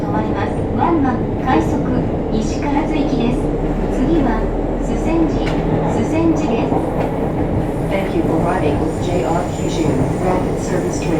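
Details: JR Kyushu 303 series set K01, car 4 MoHa 303-1, recorded directly above the Hakata-end bogie between Shimoyamato and Hatae: loud, steady rumbling groan from the motor with rail clatter and heavy vibration. Rough, noisy traction motor.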